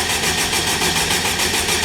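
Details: K20 turbo engine in a Wildcat buggy, before its first start after fresh oil fill: ECU plug unplugged so it can't fire, steady rhythmic cranking pulses about five a second with no firing, spun on the starter to build oil pressure; normal cranking.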